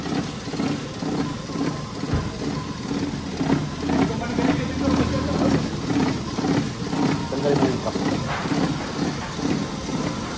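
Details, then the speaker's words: Engine idling with heavy vibration and uneven, breathing, lumpy running, stumbling about twice a second; exhaust smells sharp, fuel not burning well, spark plugs reportedly new; misfire traced to chewed oxygen sensor wires shorting together. "Kung mapapansin niyo sobrang vibration nung artist tapos yung andar niya hihinga-hinga."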